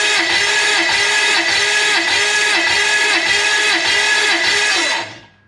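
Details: Toyota 1UZ V8 in a sterndrive boat that ran badly, cranking for a compression test: the starter whirs at about three and a half beats a second with an uneven rhythm. One cylinder reads low, around 100, so the engine is worn and likely abused.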